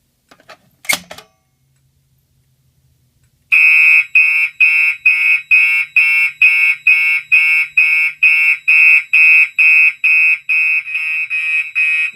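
Loud, high horn blasts pulse evenly at about two a second in steady march time over a quiet room; the alarm is sounding normally.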